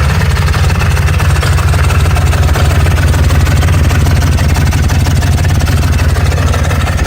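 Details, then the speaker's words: Broken four-wheeler taken in trade as a parts machine, first start after fixing slow cranking, with the wide-open throttle still being worked on: steady low thump at about three beats a second, no knocks or misses, blue smoke showing oil is getting through; normal idle. "Power on That sounded good. I like seeing the blue smoke. That means it's got oil going to it."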